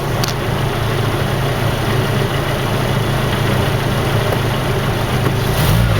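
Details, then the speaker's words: 1987 Nissan Vanette van, microphone under the vehicle: smooth steady idle with no ticking or rattles; healthy engine, no apparent leaks. "bit so you know it's just a regular car just a regular Nissan doesn't seem to have any leaks on it"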